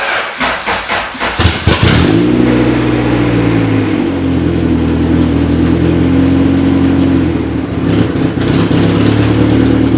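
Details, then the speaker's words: B-series-swapped Honda Civic EK with a new custom budget exhaust: engine cranks, catches and revs with a loud, raspy puffing from a header exhaust leak where the gasket doesn't seal. "If you heard that sound, we have a terrible exhaust leak coming from the headers because the gasket doesn't fill the spot correctly."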